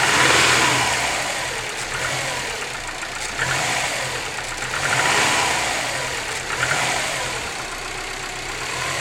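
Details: Subaru WRX cold boxer engine at idle: hollow, rattly knock waxing and waning over the idle, piston slap when cold.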